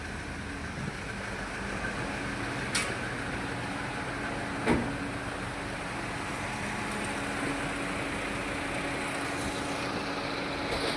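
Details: Toyota Etios Liva, check engine light on, misfire codes on cylinders 3 and 4: uneven idle with a faint irregular stumble under a steady hum; misfire shown on cylinder 3 when checking cylinders one at a time.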